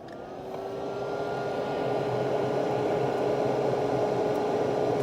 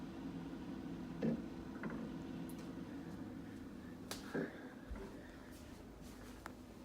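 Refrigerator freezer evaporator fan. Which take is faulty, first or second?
second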